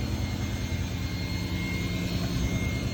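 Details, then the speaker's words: VW Golf R32 Mk5 VR6 Edition 30, first cold start of the morning: fine steady high-pitched vacuum-cleaner whir over low even idle rumble; disappears on restart, source unclear, runs a bit rough cold. "But yeah, cold start time. I've noticed this makes a whirring noise on the first start up in the morning."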